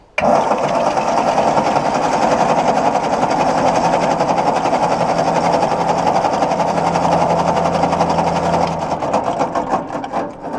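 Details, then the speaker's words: 1953/54 Ford Golden Jubilee NAA tractor sitting over 20 years, starter spins engine at steady even chug about three to four beats a second, no grinding; healthy cranking, not firing yet; oil pressure gauge didn't move. "Well, there we go. Okay, so we got crankage. Very nice crankage."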